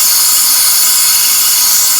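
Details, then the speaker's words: American Standard toilet tank not filling after a flush: steady high-pitched hiss from a leaking Fluidmaster fill valve; fixed by replacing the seal, and then the whole valve assembly when the seal size was wrong. "what's happening if someone flushed it I heard this noise and came in here and discovered that um it float or fuel valve is leaking"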